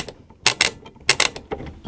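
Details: Thorn 38T1 early-1980s CRT TV (Mitsubishi Q chassis), rotary tuner after cleaning with switch cleaner lubricant: crisp, clean clicks in small bursts as the channel knob steps through detents, no scratchiness; tuner detent working normally.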